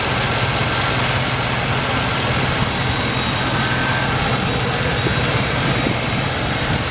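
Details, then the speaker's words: 1989 Chevy Caprice Brougham LS V8 at idle: even steady low rumble with no misses, knocks or ticks and no smoke; normal idle, only brief smoke on first start after a month sitting. "still R perfect it still ain't no smoking"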